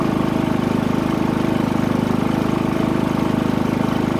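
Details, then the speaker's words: Harbor Freight Predator 3500 W generator, 25 hours, after oil and NGK VPR7ES plug change, eco throttle off, running RV converter at about 270 W/2 A: steady, even hum, regular pulse, no misses; healthy under light load. "here we are with the RV plugged in and this is just what the converter on running the batteries the Eco throttle off it's running 270 watts"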